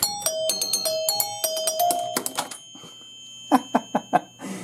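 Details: 1977 Williams Lucky Seven pinball machine, chimes cleaned and isolated, machine powered up to start a game without a ball: clear bright bell tones in quick bursts then single strikes; chimes working properly.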